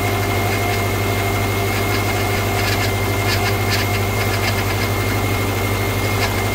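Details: 2009 Subaru Outback idling, first start after steering rack replacement with fresh fluid and the system bled: constant high whine riding on top; the power steering pump is believed bad, staying loud even after bleeding.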